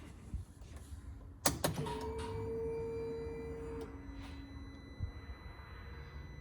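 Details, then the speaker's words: Side-by-side off-road machine, key on with the PCM-to-fuel-relay circuit intact before kill switch installation: a click, then a steady electric whir at one pitch for about two seconds; normal fuel pump prime. "we're going to turn our key our ignition key and you're going to hear that pump prime the engine"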